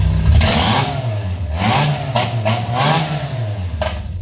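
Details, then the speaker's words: Handmade helicopter engine after a new injector was fitted: revs up and settles cleanly and evenly, with no misfire, stumble or vibration; running normally. "عجب صدایی داره عاشق این صداشمون به نظرت بهترونتر کار نمی‌کنه خیلی بهتر شد مشخص ببین هیچ لرزشی ندارم"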